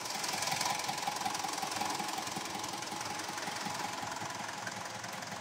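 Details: Mitsubishi Montero Sport diesel after engine overhaul for heavy black smoke, misfire and vibration (cylinder three found wet): steady, even idle clatter with no misfire or stumble; normal idle, smoke gone.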